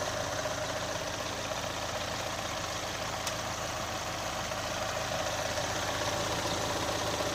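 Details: 2018 Chevrolet Onix LT 1.0, under three months owned, idling with light regular tapping about four times a second; owner links it to GM's quiet replacement of faulty intake valves and locks, not confirmed.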